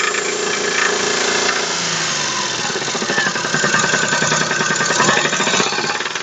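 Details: Daewoo Matiz 0.8 three-cylinder at idle with a loud, hard metallic knock about two to three times a second; the front crankshaft oil seal blew out in frost, oil drained away and the crank bearing shells spun.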